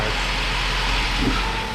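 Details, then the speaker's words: 2011-2017 MK3 Ford Focus Duratec after full engine replacement, first start with fresh oil and coolant: fires right up into a smooth even idle, no knocks, ticks or misses; normal idle. "Man, she purrs. She fired right up. That's awesome."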